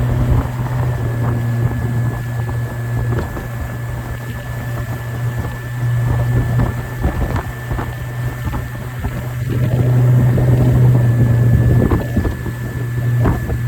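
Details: 90 hp Suzuki outboard after a bad injector that caused power loss was replaced: smooth, even low drone on the water with some wind buffeting, no misses or stumbles; normal running.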